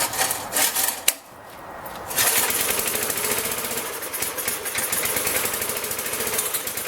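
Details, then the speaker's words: 1983-era Briggs & Stratton engine on a Magna air compressor that sat 5 years, first pull on carb cleaner with ethanol-free gas and B12 Chemtool: fast uneven pops that stumble without settling to idle; owner notes an air leak, cause unconfirmed. "so it's trying"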